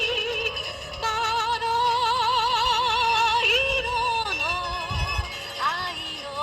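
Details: AIWA TP-S30 portable cassette player with built-in speaker and new drive belt: music plays with steady pitch, no wow or drag; normal tape playback at even speed.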